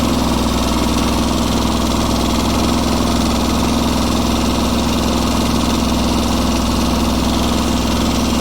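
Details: Kubota G4200 garden tractor, first run after full restoration with the fuel system redone: a steady, even low thrum at about three and a half beats a second with no knocks or stumbles, a healthy idle.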